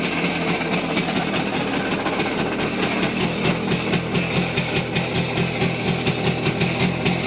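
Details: Voskhod 3M two-stroke, rebuilt with new piston kit, broken in, compression and ignition fine: strong fast knocking at idle and at high revs in 3rd-4th, started after decelerating in 4th; piston clean, no scoring; owner suspects crankshaft, unconfirmed.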